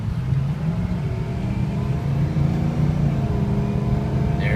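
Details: 2006 Ford F250 King Ranch 4x4 diesel accelerating: deep, even rumble holds steady under throttle with no knocks or rattles. The turbo diesel sounds healthy pulling, with the turbo working.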